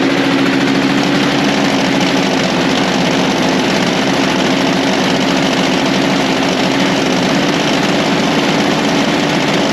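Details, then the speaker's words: Toro Power Lite snow blower, over 25 years old and unused for a few years, idling smoothly after the dry-rotted primer bulb was replaced; garage heated to about 66°F with 30°F outside; even idle, no misfires or surging. "well I'd say uh she's back in service that was easy just had to get the part"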